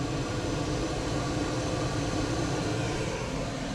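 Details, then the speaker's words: 5 kW diesel heater in a van won't fire up, just a steady noisy blower rush blowing cold air with no burner roar; control panel reads 100° though it's freezing, traced to a faulty temperature sensor needing replacement. "If I turn it on now, all of a sudden, it won't fire up. So, the problem is it's just blowing out cold air. It comes on pretty noisy like"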